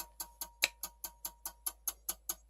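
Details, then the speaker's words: Dell Optiplex 3020 jerry-rigged with a 450 W HP power supply, orange light: sharp, even clicks about five a second continue after the power is shut off, then stop; owner guesses it needs a new power supply. "it's still going from the power is shut off that is really our I have never seen that before"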